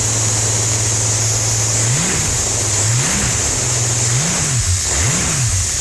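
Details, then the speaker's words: Holden 202 red inline-six test engine with rebuilt early Mk1 TBI throttle body, just after priming and starting: smooth blips settling back to a steady, even idle with no misses; idling and running beautifully. "Well, that's idling beautifully and running beautifully."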